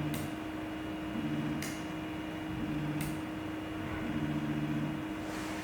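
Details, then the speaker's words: Eryone ER20 3D printer on Marlin 2.0.5.3/2.0.8 firmware with TMC drivers: motor hum while auto-homing, with sharp bangs about every 1.5 s as the hot end slams the left side. Fix is the sensorless homing sensitivity; suggested setting is 600, then decrease it. "you can hear the hot end is hitting the left side and it is causing the big noise"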